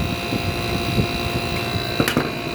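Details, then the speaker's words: Old Fedders/Airtemp window air conditioner in an 82°F room: a strained compressor hum with high tones and clanks over a rough drone, likely from high head pressure caused by a rotted condenser coil, the wrong fan blade and a missing shroud. "Anyway, this unit, you can hear this compressor. It does not sound like a happy camper, does it? Anyway, if you're thinking it sounds like it's running at too high of head pressure, you're probably correct."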